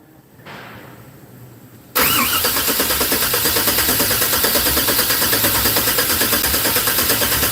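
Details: 1964 GMC on first-start attempts, MAP sensor held on by hand (MAP reads 93): starter spins evenly but never fires; spark confirmed earlier, fuel smell reduced – cranks, no start.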